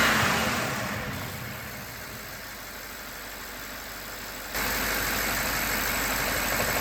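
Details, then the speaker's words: BMW 750Li after installing new BMW PCV parts: runs evenly and revs up cleanly, holding steady with no hiss or suction noise, whistle gone; noise under oil cap is normal vacuum pump sound; normal revving. "Still good. So that noise that you hear under the oil cap is totally normal. It's a result of the vacuum pump that's used in this kind of car."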